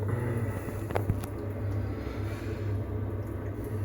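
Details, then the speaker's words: Potterton 28HE combi boiler, central heating fault (hot water fine) traced to a 3-way valve motor with a broken spring: after the fix, ignition and pump start with a steady, even low hum while flow temperature rises; heating normally. "so we have ignition, pump stepped in, watching the thermostat rise."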